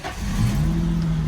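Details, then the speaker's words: Car with dead battery, jump-started via FLYLINKTECH 1000A 15000mAh jump starter, clutch in; brief crank catches almost at once and settles to steady even low hum; normal engine start. "just like that. That was simple and quick. Wow, that worked really well."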